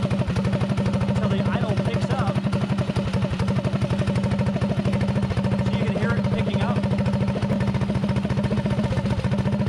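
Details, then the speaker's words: Predator 224 single-cylinder GTS mini bike, 24mm PWK carburetor rejetted: idle turned down, air screw backed out to fastest idle; steady fast idle with even firing, mixture set at highest-idle point. "now I turn the idle down as slow as I can get it soing nice and slow and I back the air screw out"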